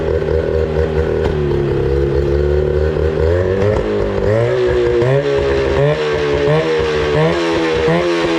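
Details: 25HP Mercury outboard that sat 4 years, idling after carburetor cleaning and fresh gas: a steady, even two-stroke burble that holds without stumbling or hunting; starts right up and idles well.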